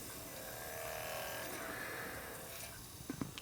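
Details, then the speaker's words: Apex AD-1500 DVD player after readjusting the laser and fixing weak power supply output, drive plugged in: soft, even whirr of the disc spinning normally with better speed, a few light clicks near the end. "sounds like it's got a little better speed to it as well"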